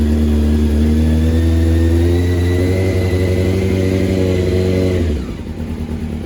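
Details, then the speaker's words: 1997 Honda CBR600 F3, fuel pump relay bypassed by jumping wires: engine fires right up and holds a smooth, even multi-cylinder hum for about five seconds before dying away, no misses; fuel pump works. "I've jumped the two wires I'm going to turn on the ignition and we'll see if I hear the fuel pump there it is yeah collected jumping wire in place and it fired right up"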